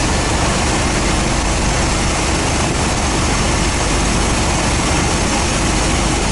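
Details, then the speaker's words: 1990 GMC 350 small-block V8 just after first fire following engine swap, cold and warming up, Thrush muffler and Cummins exhaust tip: even, heavy idle with constant rumble, no misses or tapping; normal idle. "holy [ __ ] hell yeah buddy listen to that exhaust oh yeah that sounds good I like that"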